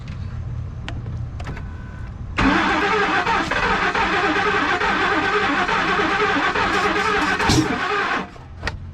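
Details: 2003 Ford Expedition that cranks but won't start: starter spins the engine steadily for about six seconds with brake cleaner sprayed into the intake, but it never fires; crank no start.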